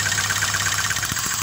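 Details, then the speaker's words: Cylinder balance test on a petrol engine at idle that has a misfire. With one cylinder's spark plug wire removed, the rpm drops significantly and the idle goes rough with uneven thumps, showing that cylinder is contributing. "as you can hear there's a significant drop in the indian's rpm right so this cylinder here is contributing its power"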